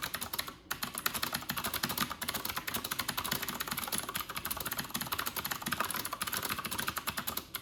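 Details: New Corsair K70 RGB Pro with Cherry MX Blue switches, typing test at 94 wpm in a quiet bathroom, camera in front of the keyboard: fast, crisp, evenly repeated clicks, no scratchy or dead keys; switches sound healthy.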